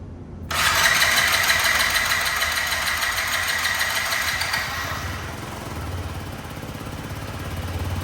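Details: Yamaha C3 fuel-injected scooter, after a failed fuel pump was replaced, injector cleaned, new plug, fresh fuel and battery: it catches and settles into a steady, even run with no misfire, now running fine.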